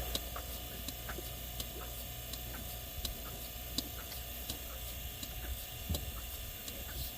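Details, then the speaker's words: Bucket milker on cow with vacuum pump, near end of milking: crisp even pulsator clicks about every three-quarters of a second over steady pump hum; pulsator working, vacuum sufficient. "when you hear that clicking you know that there's enough vacuum pole that it can go on the cow"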